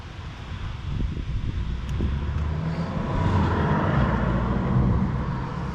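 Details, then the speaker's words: 2010 Fiat Panda 4x4 1.2 8v petrol at idle, shaking with an uneven, lumpy beat of about four stumbles a second. Code P0303 points to a cylinder 3 misfire; the cylinder 3 plug lead looked insecure and a failing spark plug is suspected. "look how that baby is shaking it's shaking we are going to see if we can diagnose this misfire problem"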